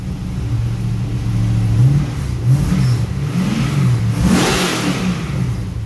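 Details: First start of an LS1 V8 in an XG ute, with a better carby and a custom full exhaust without a further muffler; deep mellow burble rising and falling smoothly with each blip, even firing, no misses or knocks; normal idle and revving.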